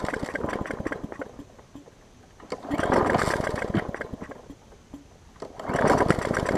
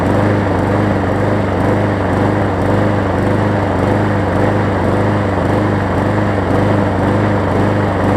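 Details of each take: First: Hyper Tough mower, customer return with a severely bent blade, first start after a new blade was fitted, with starting fluid: small engine runs rough, rising and sagging every few seconds, surging; loose gas tank noted. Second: Hyper Tough mower after fitting a new blade to replace a severely bent one: even, steady single-cylinder putter at constant speed, no knocking or scraping from the blade; running fine.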